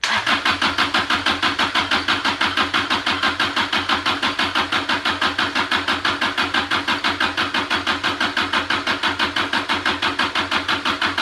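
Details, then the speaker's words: Junkyard Kubota diesel from a Motorec industrial cart, injector pump freed up, cranked via starter jumper cable with fuel reaching only one injector so far: steady even starter churn, about three compression beats a second, never catching. "we're at cranker i got fuel all the way ready up to one injector and we're gonna crank her till we got fuel at all four and then hopefully she'll fire"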